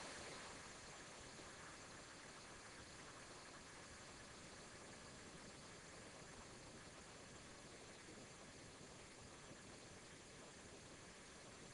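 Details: Chrysler engine after replacing a rusty, water-fouled spark plug in the misfiring cylinder: steady, even idle with no stumbles or skipped beats under a constant hiss; misfire gone.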